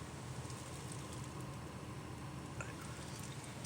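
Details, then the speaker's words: 2014 Volkswagen Jetta after replacing blower motor resistor: soft steady low hum with even airflow hiss, no rattle or squeal, blower now works on speeds 1 through 4; normal blower operation on low speed. "It's working on 1. It's working on 2. It's working on 3. And it continues to work on number 4."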